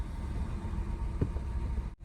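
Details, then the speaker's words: 2016 Nissan Qashqai 1.2 petrol with rough idle, intermittent engine light and poor pickup, running with a coil pack connector unplugged on top of a stored cylinder 3 misfire. The engine shakes very badly, a deep, uneven, stumbling idle from two dead cylinders. "now vehicle very badly shaking switch it off"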